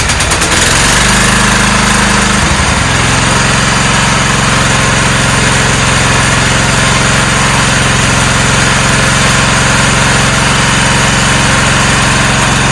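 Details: 1994 Cub Cadet HDS2135 riding mower, unused about 10 years, now running: a small single-cylinder engine settles into an even, steady putter with no misses or knocks. Normal idle.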